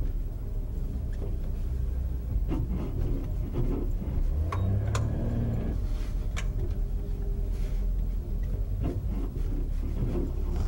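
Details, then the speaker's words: Car driving over bumps: low road rumble with scattered sharp clunks about every second; suspension clunk, possibly the sway bar or another suspension or steering part, not pinned down. "that one no can be a little tricky rank you can be many things because this the suspension system consists of several parts so it could be the sway bar"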